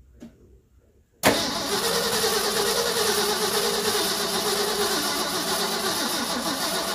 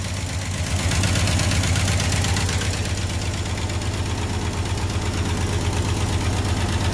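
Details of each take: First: 1974 Ford F-250 High Boy 4x4, sitting for years, possibly 20+: starter engages and the engine cranks slowly, about three labored beats a second, never catching. Starter and solenoid work but the battery is weak, and there seems to be little or no fuel. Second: 1974 Ford F-250 High Boy 4x4, revived after years sitting: engine runs at a steady, even V8 idle with a smooth low rumble and no knocks or misses, timing set at 0 degrees, carburetor bowl filled with fuel.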